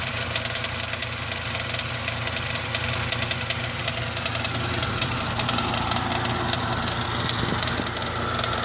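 Steady idle with a loose, fairly regular ticking knock about two or three per second over hissy engine noise; cause unclear.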